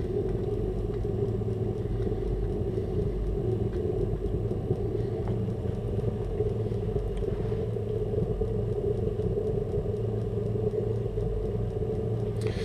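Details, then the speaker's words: Burner running after startup and purge: steady, even low flame roar with fuel pump audible, no pulsing, popping or surging; leftover fuel from faulty starts burning off; normal operation. "You can now hear the fuel pump. And you can hear the flame as well. Any fuel was left behind from previous faulty starts will burn away now."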